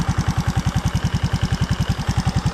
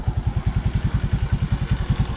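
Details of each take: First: maliban sa maingay yung niya yung ganon na sound ay malakas ang lagitik niyan malamang ay lumuwang na yung kanyang valve clearance Second: Suzuki Raider J Fi crossover single-cylinder motorcycle after valve clearance adjustment: even, quick low thumps about eight per second with the earlier top-end ticking gone; clean, normal idle.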